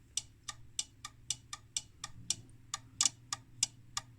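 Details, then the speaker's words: 1968 IMPO dual power supply (25V 1A school lab unit) on first power-up; sharp dry clicks about every third of a second as the voltage is turned. Normal transformer-tap relay switching, and the supply works. "oh click what the heck there was a relay okay"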